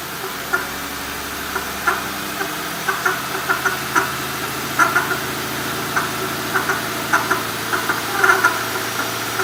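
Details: 2005 Mercury Grand Marquis at idle; irregular sharp ticks and knocks, about fifty a minute, over a quiet steady idle; failing water pump.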